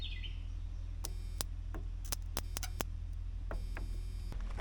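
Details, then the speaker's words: 1987 Ford F350 dump truck, borrowed battery, key on: sharp uneven ticks about three a second over a low hum, stopping when the key is turned off; electrical tick of unknown source. "the key on or off right now oh key is on let's turn the key off there we go now there's no noises"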